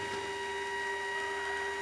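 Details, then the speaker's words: Light-sensing chicken coop door closing, driven by a 12 V battery-powered linear actuator (225 lb force) after the light sensor is covered to simulate sundown. Steady high-pitched motor whine, no clicks or grinding; door moves down slowly, working normally. "As you can hear the door, you can probably hear the door starting down. It doesn't move fast, but it moves."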